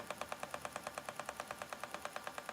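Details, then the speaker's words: Spinning wheel with a new bobbin, spinning lace-weight Shetland wool. Sharp, evenly spaced clacks about eight per second over a quiet motor hum; the cause is unknown, and the spinner suspects the speed. "And a bit of clacking going on. Got these a new bobbin on this wheel, and it's making like a noise. Not quite sure why."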